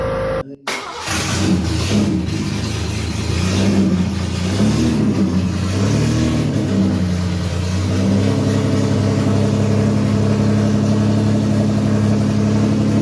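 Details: MGC GT getting its first start on a new engine after 48 years, with the oil pump primed so oil reaches the rockers. A short crank, a quick catch and a few throttle blips, then a smooth, steady idle. Normal start and idle.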